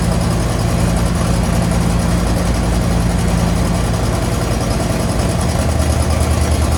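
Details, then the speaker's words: 1963 Chevy Impala V8 after new carb gasket, fuel pump and rubber fuel lines, idle turned up slightly: deep, steady idle with an even beat, no misses, hunting or knocks. Normal idle. "so i think right about four it does pretty well um it sounds pretty good"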